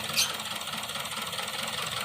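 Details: Toyota Vios at idle with a faint ticking and a slightly stumbling, hissy beat: misfire caused by the ignition coil arcing (leaking spark).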